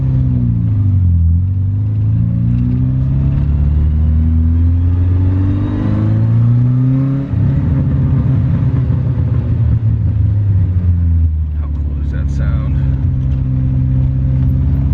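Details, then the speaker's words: Toyota Starlet driving and pulling through two gears: rough raspy drone under load from an existing exhaust leak. "You guys hear that exhaust leak that I still have? Fuck it."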